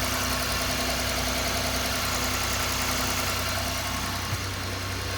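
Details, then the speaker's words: Ford EcoSport 1.5 engine running with the manual gearbox removed, crankshaft already checked: steady, even idle with a smooth low hum and no knocks or ticks, so the noise is blamed on the gearbox; normal idle. "No va a volver loco. Esto quedé sordo o no escucho nada."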